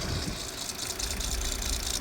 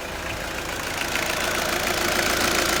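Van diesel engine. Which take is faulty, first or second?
first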